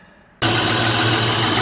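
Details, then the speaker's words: 2004 Honda Pilot started and idling before coil checks, miss present after sitting: steady idle with faint uneven beat; coil-pull test points to a dead cylinder, later confirmed as a failed fuel injector. "you hear it change take off this one hear it change take off this one runs the same bad coil right there"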